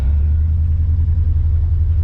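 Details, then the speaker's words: 1985 Chevrolet C30 dually, LS-swapped 6.0 V8, after new fuel pressure regulator: deep lumpy uneven rumble; owner heard banging, suspects timing chain or reluctor wheel jumped; cause unconfirmed. "I don't know what happened. Like, I swear there was some banging going on in there, so I don't know if the gear that controls the timing, the reluctor wheel, or timing chain jumped, or what, but doesn't sound that good."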